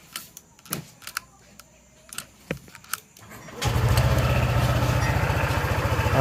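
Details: Honda PCX scooter fires up after a few handling clicks and settles into a steady, even idle after repair of the gear ratio unit, where a shattered bearing on the drive gear had caused a rough noise.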